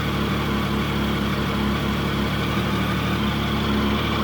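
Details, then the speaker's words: Triumph Sprint GT 1050 first start after an oil and filter change, new air filter and new aftermarket exhaust end can: steady, even idle with a smooth low burble and no knocks or ticks. "I think we're uh good to go for a crank and see what it sounds like. Just let it push the oil around before you start revving it."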